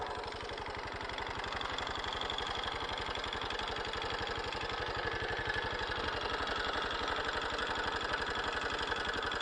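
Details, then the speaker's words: Honda Super Cub JA07 idling after suddenly turning noisy: quick, steady ticking over the single-cylinder idle; the owner says it never made this sound before, source not yet found. "急にバタバタうるさくなったもん。そんなカタカタ音がせんかったような気がするんよね。やっぱりこんな音しよらんかった。"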